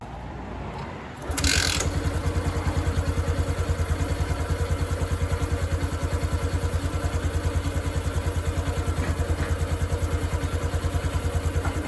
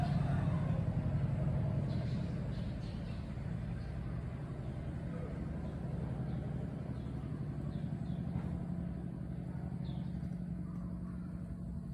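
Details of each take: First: 2022 Honda Wave 110i that knocked when hot, after modifying the cam chain tensioner and bleeding its air until firm: the engine settles into an even steady idle with no rattle or ticking. Sounds normal after repair. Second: 2022 Honda Wave 110i idling hot, quiet when cold but noisy after long rides: light, uneven tapping over a low hum from a soft cam chain tensioner; cam chain tensioner tapping, tensioner mechanism to be modified.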